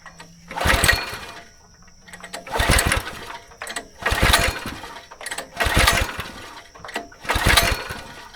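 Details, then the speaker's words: Go-kart small engine after sitting 3 years, choke set, fuel on, primed: five pull-start bursts about every 1.5 seconds, each dying with no catch; cranks but no start. "Put a little bit of carb cleaner down there. See if it'll fire up now."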